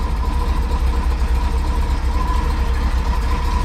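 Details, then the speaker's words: Ford F-150 after header work, first run after about three weeks: steady, even low idle rumble, no ticking or puffing at the header; exhaust exits tailpipe, leak fixed. "didn't run for about three weeks but there's no exhaust leak now it's coming straight out of the exhaust not the header"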